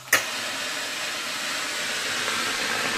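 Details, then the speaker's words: Philips PerfectCare Silence GC 9550 steam generator after repair and reassembly, filled with water and switched on: sudden burst then steady, even steam hiss with pump clearly audible, indicator stopped blinking; normal steam output. "fonctionne bien. Vous pouvez entendre la pompe très clairement."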